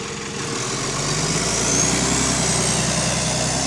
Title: Exhaust Leak | GAL EN29 On Bus Route 486 (8)